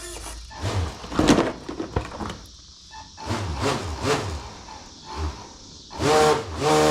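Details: Ten-year-old Mini Gator Tours RC airboat, bench-tested on a Traxxas nickel-type battery after not powering up: short bursts of a steady buzzing motor whine with fan rush; the fan motor now spins up and runs smoothly.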